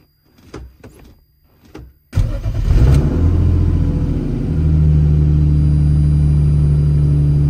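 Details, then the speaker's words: Turbo M50 BMW E30 with a long crank-no-start issue now resolved, started on a new tune config after throttle position calibration, cold in the shop. Engine fires, flares briefly and settles to a smooth, even idle with no stumble. "It's running really good right now, but I'm smoking up my shop, so I want to pull it outside before letting it get too warm."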